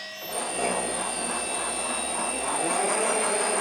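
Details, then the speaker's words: Schaublin lathe with a variator, running before a boring job during an oil-leak fix. Fairly quiet steady run with a constant high whine and no knocks or grinding: normal lathe running. "you can hear this is quite the silent silent thing you know"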